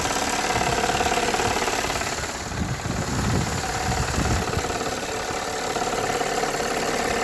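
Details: Warm Toyota 3.3 V6 idling with a fairly regular light knock, about three or four a second, from the intake manifold side once warmed up; owner unsure whether rod knock or intake manifold leak.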